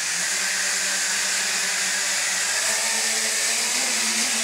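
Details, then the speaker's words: JXD 389 flying car quadcopter hovering in beginner mode: loud, high, hissing whine with a gritty edge from all rotors; noise amplified by motors lacking ball bearings; gear and motor noise from plain bushings. "So you can see it's quite noisy. This noise is amplified, sorry, but because the absence of ball bearings. Okay, it's a drawback."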